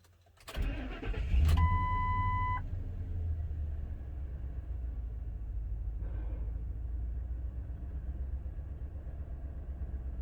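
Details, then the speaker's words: 2003-04 Ford Super Duty service truck with a cylinder 4 misfire code, low power and a plugged catalytic converter: cranks, catches, then idles lumpily with an uneven stumble. No spark plug is blown out; single-cylinder misfire on cylinder 4. "no no spark plug blown out but there's a misfire feels like it's pretty consistent i think we gotta miss on four"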